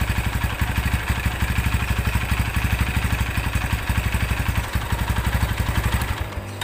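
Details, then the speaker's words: Honda Tiger single-cylinder motorcycle idling with a loose, uneven clatter on each thump; clutch feels rough and gets worse when pulled, with clattering heard from the clutch cover area, which is then dismantled. "Oke ee di sini suara e koplingnya bukannya adem kalau di kopling malah makin kakak gitu kemudian dari area silinder kopnya ini terdengar suara keletak gitu"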